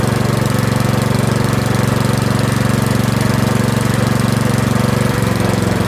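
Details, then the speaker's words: Curb-find Yard Machines 21-inch 179cc OHV single-cylinder snowblower, after a full-throttle run, throttle a hair above the stop; steady, even thump at about three beats a second, holding speed, a normal idle. "Surprisingly, it still holds idle. Look at that. It's a hair above the stop."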